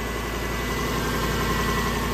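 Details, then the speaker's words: Lexus LS430 V8 after engine overhaul and transmission swap, first start: steady idle with a raspy puffing chuff over it and smoke from burn-off; exhaust leak, source not yet found. "woo yeah oh we have an exhaust leak damn it but it's running woohoo wonder where that exhaust lake is from"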